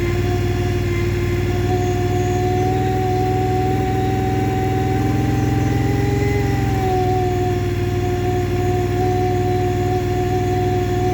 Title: Scrambler xp1000 S weird noise 1